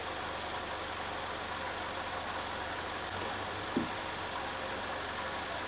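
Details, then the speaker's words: Chevy Malibu 4-cylinder idling with a pinhole radiator leak; quiet, steady idle with even low hum, no knocks or misses; motor still sounds good, normal idle. "How's the coolant? Motor still sounds good."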